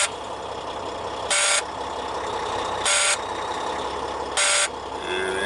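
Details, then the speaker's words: Leroy, a heavy-duty truck with an intermittent no-accelerator and grinding-shift fault, idling after startup: a loud buzz every 1.5 s from the low air pressure alarm. It stops once pressure reaches 60 psi; the transmission low air supply warning clears at 90 psi. "and then he has alarms because the air pressure is low and once the air pressure gets to 60 pounds over here that alarm should stop"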